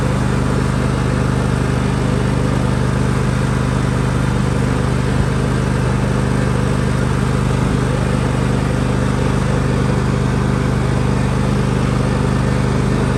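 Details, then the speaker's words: John Deere L130 riding mower transaxle after adding oil (suspected low fluid) and replacing the oil plug: even steady engine drone with faint low drive hum, little noise, far more responsive than before; transaxle now operating normally. "oh wow no noise yet a little bit of noise there but it's way more responsive nothing like it was"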